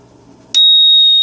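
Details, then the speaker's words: DIY keg monitor alarm: a steady, high-pitched piezo buzzer tone that holds without pulsing, triggered when a scale's leaf switch closes as the keg drops to about a 12-pack of beer left; low-level alarm. "now once the keg basically gets down to the point where it doesn't weigh anything more than just an empty keg and 12 pack of beer it sounds the alarm"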